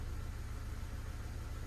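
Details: Ford PowerShift automatic after clutch replacement and new TCM, no fault codes, in gear holding brake: low steady idle hum with even pulse, no knocks or slips; car creeps when brake released, gearbox healthy.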